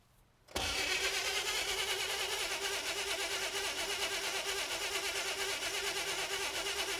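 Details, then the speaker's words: 1960 Chevrolet El Camino unrun since 1998; the starter spins it at an even chug about three beats a second for seven seconds but it never catches, and spark is in doubt. The oil light has gone out. "All right, let's check spark. Maybe we don't have it. I thought we did."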